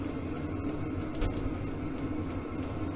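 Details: Vevor diesel heater in a metal building at −12 °C outside, just bumped from setting 3 to 5: steady low drone and soft even hum, no misfire or stutter. Running cleanly.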